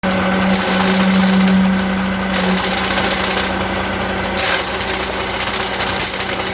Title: eaton easy pedal advantage clutch abnormal sound